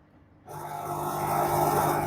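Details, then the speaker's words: Super General 20 kg top-loader washer on spin cycle: steady electrical hum with no spin-up while drain pump and clutch work; motor stalled, not rotating; fault found in main board motor triac, replaced to fix. "It is humming noise only, but motor not rotating."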